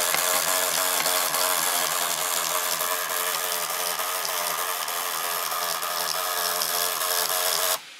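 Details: MSI GP66 Leopard (RTX 3070) laptop right fan after a few weeks of use: harsh raspy whirr with thin squeal, then abrupt cutoff; grinding fan, owner suspects faulty fan or loose blades, cause unconfirmed.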